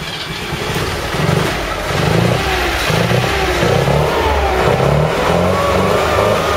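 The engine revs up and down in even surges over a steady background rumble and picks up cleanly each time; it is running healthy.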